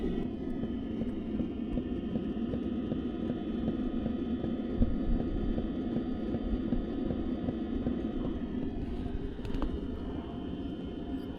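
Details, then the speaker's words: Caravan diesel heater fuel dosing pump, recorded outside with the camera right next to it, after remounting it off the chassis. It makes a soft, dull, steady "clock" over the heater fan rumble: normal pumping, now quieter. "it's it's like a instead of a tick it's more of a if you had to put to a word it's more of a clock sound clock clock clock but have a listen"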